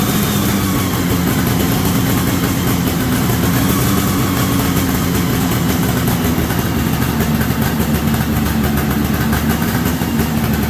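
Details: 1973 Columbia snowmobile two-stroke, after reconnecting the crankcase pulse line to the rebuilt diaphragm carb. Steady, crackling idle holds an even speed with no stumbles or dropouts: normal idle, resurrected after about 15 years.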